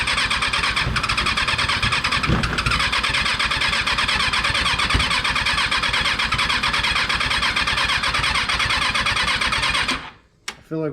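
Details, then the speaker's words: Rebuilt Kawasaki 636 engine, just installed, hard to start: ten seconds of steady cranking with ragged, uneven firing pulses that never catch; it sputters when it reaches those two; cause unconfirmed. "because when he when he goes over on those two it seems to do a little sputter"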